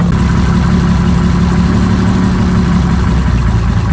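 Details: Abandoned Jaguar XJRS V12 on makeshift fuel supply, first runs after long revival: deep loud idle with slightly uneven low rumble; rough running.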